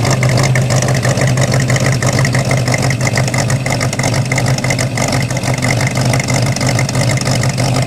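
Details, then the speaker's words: Corvette small-block V8 with solid lifters: steady lopey idle with a light, quick, even ticking over the top, the normal valve chatter of solid lifters. "still has the solid lifters too you'll be able to hear those yeah solid lifters are the best though"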